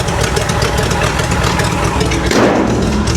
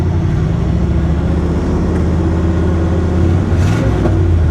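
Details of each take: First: 1970 International D1000 pickup, abandoned over 20 years, just started cold, charging 14 volts: uneven, lumpy, unsteady low idle; expected to clean up once warm, cause unconfirmed. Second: 1970 International D1000 truck, warm after a 10-mile highway run at 65,962 miles with good oil pressure: deep, steady idle rises smoothly on two throttle blips with no knocks or misses; the engine sounds healthy.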